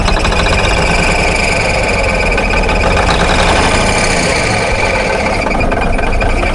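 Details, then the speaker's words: 1978 Kenworth K100 cabover diesel, long-stored, first start, idling right off the bat: loud, uneven clatter with irregular beat, little smoky, not hitting all six cylinders (cause not confirmed); rough idle. Oil pressure 60 PSI, water temp not up yet. "Ah, just idling right off the bat. Little smoky. Not hitting all six."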